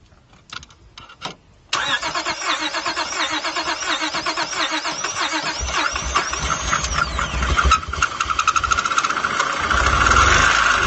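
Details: 2003 Honda Accord EX, J-series 3.0 V6, cranks, catches and settles into an uneven, stumbling idle with irregular low thumps: a misfire. Three different mechanics gave three different answers.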